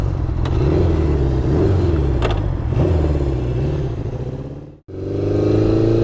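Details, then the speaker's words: 1972 Honda CB750 inline-four on a test ride after carb rebuild and sync and ignition component replacement: lumpy exhaust beat with a dead pulse, briefly cutting out then picking up, as if down a cylinder. "Kind of sounds like it's down a cylinder right now, which is weird. Yeah, it's not happy. I wonder if I dropped a plug or something."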